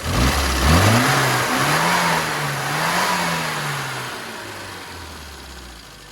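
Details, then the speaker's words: Car at the Dorchester Mini Centre after carburettor tuning: the too-lean standard AAC needle was corrected, the full power point adjusted and a little extra ignition advance added. Revs climb crisply and drop cleanly through blips with no hesitation or flat spot; healthy throttle response, with a modified advance curve still to come. "can hear that that picks up very well so the customer's going to go back and have a modified advanced curve done to finish the job off"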